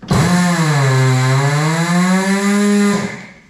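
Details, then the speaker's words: Coats rim clamp tire machine air motor after oiling by pumping the pedal a few times: strong, steady buzzing drone holding pitch about three seconds then winding down; now running much stronger and healthier than before. "yeah let's see how strong this thing is now I think it's running much stronger that sounds just way healthier"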